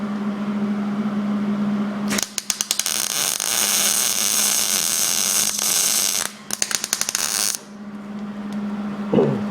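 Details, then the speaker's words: MIG welder set for sheet metal on a 1967 Mustang inner fender well, test weld at about 15: steady crackling sizzle like frying bacon with a little popping, judged a pretty good weld. "little bit of popping but sounded pretty good move through"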